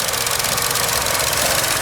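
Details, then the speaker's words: Chevy Cruze, 38k miles, now overheating, engine running: light, fast, tinny rattle, steady throughout, near the belt drive; owner suspects the belt tensioner, source unconfirmed. "that's crazy the way that makes that noise it's just a little rattle"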